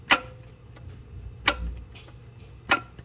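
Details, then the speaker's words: Twin-turbo widebody Nissan S12 Silvia, starter solenoid on new bracket, engine off: three sharp metallic clicks as the rod is pulled back by hand, starter pinion engaging the flywheel. "it does engage on the flywheel."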